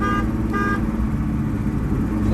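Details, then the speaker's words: BMW E30 325e turbo track car (1984 318i chassis, 1987 M20 2.7 L eta engine), rough idle: two short honks then a third, each a clear steady tone. The horn works normally. "thing about this car, it's still got a working horn. Check it"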